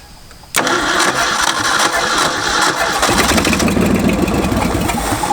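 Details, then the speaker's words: Ford F-250, after advancing timing about 12 degrees and widening the points: starter whirs, engine catches to a rough uneven idle, running only with choke pulled; owner plans to back the mixture screws out. "it will not run without jokes though so I'm thinking is back the mixture screws out a bunch see what happens"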